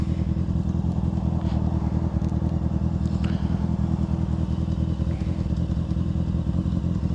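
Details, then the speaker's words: Honda CBR600 F4i, old stunt-ridden bike, idling in neutral: fast even idle with a steady dry clacking in the exhaust beat; rider suspects the cam chain tensioner, unconfirmed. "Yeah, something is definitely clacking. I don't know what the hell that noise is. What I'm reading, possibly the cam chain tensioner."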